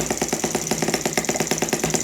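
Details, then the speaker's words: Stirlingkit M12b spark-ignition model boat engine with a new homemade clutch: quick even popping about eight beats a second at idle, clutch disengaged and freewheeling; running smoothly, clutch working well. "So when she comes down and tick over, it's just sitting there. So the kind of clutch is working really well."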